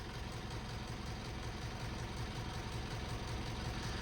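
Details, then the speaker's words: Mitsubishi L200 diesel after major service: steady idle with light even tapping about 160 a minute over low rumble; owner attributes it to valves striking lifters, thinks it can be improved; far better than before the work. "there's two noises to it there's the engine sound and then there's the tapping of the valves obviously they're going to they're going to they're going to tap anyway so they're whacking against obviously the lifters"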